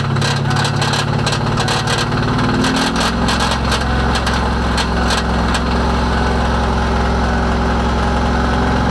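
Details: 1998 Ford Mustang GT idling with rapid regular tapping knock riding over it throughout; owner unsure whether rod knock or broken clutch.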